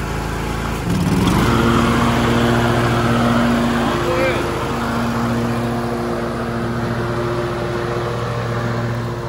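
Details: 20-year-old John Deere L120 riding lawn mower with sharpened blades, at full throttle cutting grass: steady even engine drone, no knocks or misses; runs smooth, normal running under load.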